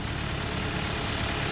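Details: 2014 Jeep Patriot overheating, idling with AC on: steady idle with light fast tick; radiator fans fail to come on, suspected relay fault; tick source unconfirmed.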